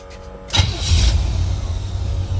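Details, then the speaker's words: 1941 Chevrolet pickup street rod, 350 V8 with 350 automatic and electric fuel pump, 8,300 miles. Brief starter whirr, then it catches within a second and settles into a deep, steady rumble; a clean, normal start, as it does every time. "that is exactly how this truck has started every time"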